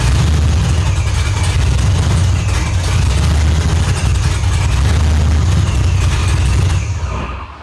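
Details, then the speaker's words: Holden Ute V8 with F1A supercharger, Holley Dominator ECU, 1 7/8 long tube headers, 4L80 transmission, running after rebuild, tune unfinished: deep loud rumbling lumpy idle with heavy low-end thump, no knocks; running normally. "So like I said, when we talked about lowering this thing, we actually do have it running now. So I'll go ahead and fire it up and let you guys hear it."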